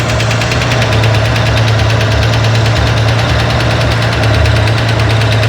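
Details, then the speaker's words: Corvair engine on a run stand during valve adjustment: steady fast ticking clatter over an even idle from one lifter with too much lash, heard after the lifter bled down, before the final quarter-turn adjustment. "I think it's staying now. Everybody agree it's got a good clatter going?"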